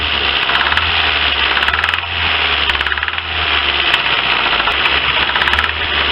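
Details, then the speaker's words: Lifan car engine at idle: steady harsh knocking rattle over uneven idle; acoustic diagnosis places knock in cylinders 2–3, with increased smoke; worn engine. "lifan это проблема штук двигателя делаем диагностику акустическую скота скопом показывает штук во втором-третьем себе не давали"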